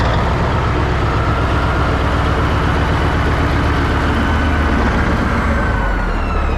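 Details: 1980 Peterbilt 359 EXHD with Caterpillar 3408 diesel, left sitting for years, lights right off; deep heavy rumble with steady chug of about four beats a second, idling without stumbling.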